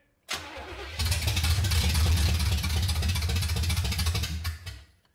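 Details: 1970 Oldsmobile Cutlass V8, sat about 15 years since 2008 registration: starter churns steadily about four seconds but never catches, then stops. Crank no start; choke poor, carb bowls may not be filling (suspected).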